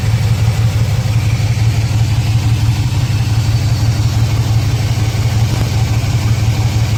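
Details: 2006 Chevrolet Silverado 4.3 with codes P0305 and P0200, check engine light blinking: uneven lumpy idle with a recurring stumble about three pulses a second; rough idle with single-cylinder misfire, diagnosed as possible failed injector, open harness or bad ECM signal.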